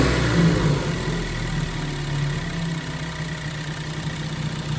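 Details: Ford Focus SC1 after the repair, cold start then revved to about 2K: even, settled idle with a low steady hum and no whine; the noise is gone.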